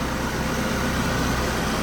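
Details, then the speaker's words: Copart auction car with about 200,000 miles, unexpected runner, exhaust rear section apparently replaced: low steady engine hum with no misses, ticks or knocks; smooth healthy idle. "That is smooth."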